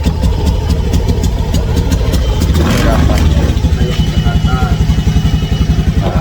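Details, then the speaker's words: Honda Scoopy scooter, owner complains of stumbling despite parts replaced: low uneven putter with stumbles and dropouts, weak; misfire suspected, cause not pinned down. "Kalau saya kadet terdengar suara berisik kayak gini. Ngiteng tuh. Ini kayak enggak kuat ya, Teman-teman."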